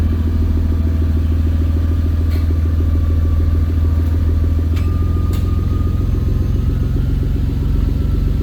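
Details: Toyota 2JZ-GTE, about 80,000 miles, on an E50 blend after sitting three days; deep, loud idle with an uneven, lumpy pulse, a misfire at idle; original spark plugs found cruddy, blamed for breaking up under boost.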